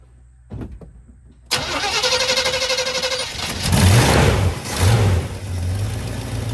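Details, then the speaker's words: 1985 Chevy C20 truck, sat 10+ years, new mechanical fuel pump, carburetor just reconnected: after a few cranks it catches into a slow, loping idle that sags; still idling low, carb needed adjusting. "Nope, still idling low."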